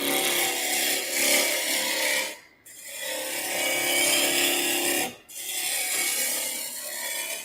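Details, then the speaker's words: Wood lathe turning a square block into a handled rolling pin: rasping cutting hiss in long passes with brief pauses as the corners are knocked off, fading as the blank comes roughly round; intermittent cut of an out-of-round blank. "okay i'm pretty good on this side as you can hear i don't have to be exactly round for what i'm doing with this project i just need to be roughly there"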